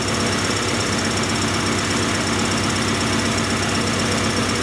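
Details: 1994 Acura Integra 1.8 L DOHC, still cold, after a cold fast idle valve adjustment that took care of the surging idle. Dense, even idle with a steady beat and no hunting or surging: normal idle.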